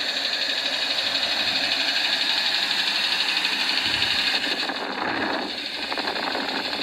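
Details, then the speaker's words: 2017 UAZ Patriot, cold engine held at steady revs via scanner: faint, fairly regular tapping about four per second following crankshaft speed, heard clearly from the top, possibly from below; owner says it appears under load. Source unconfirmed. "возможно снизу ну блин он сверху тут хорошо слышен именно с частотой вращения коленчатого вала"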